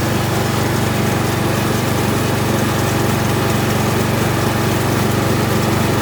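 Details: Kohler Courage 19 hp engine on an Ariens garden tractor after muffler repair (loose internal baffle fixed): steady, even buzz at constant speed, no rattle or tapping from the exhaust; runs healthy.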